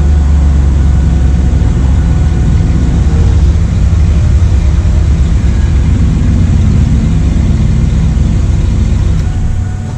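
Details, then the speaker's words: 1997 Chevrolet Camaro 3.8 V6, sat 10 years, after new fuel pump, needs fresh gas: steady deep engine note holds even for ten seconds with no knocks or misses; running cleanly. "Ran it 10 years. We'll need some fresh gas, but it runs."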